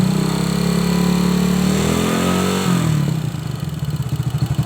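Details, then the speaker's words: Honda Supra X motorcycle, top end near the valve cover: quiet at idle, metallic clatter rising when revved; valves, camshaft or bushing suspected, cause not yet checked. "Kalau posisi motor ini stasioner itu tidak bersuara ya, kalau bersuara hanya sedikit saja, tapi posisi motor ini kita gas, suaranya pasti menimbulkan suara kemprocak."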